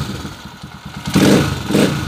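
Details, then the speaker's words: Honda TMX155 single-cylinder after repair of a cold-engine knocking noise, traced mainly to an alignment fault: even idle then two clean throttle blips, no knock or rattle; the earlier strange noise is gone. "Okay wala na yung kakaibang ingay kanina nung pinapakinggan natin nung nandon tayo sa kalsada Wala na okay na"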